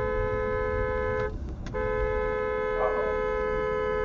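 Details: BMW F80 M3 horn: one thin, high-pitched note with a short break and no deeper second tone, sounding like a clown car; the low-frequency (low-note) horn has likely failed.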